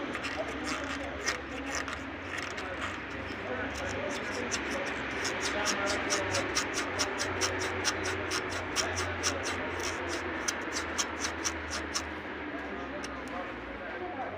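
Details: Car body movement: sharp rubbery squeaks about twice a second over a low rumble; owner suspects a worn suspension bushing. Cause suspected, not confirmed.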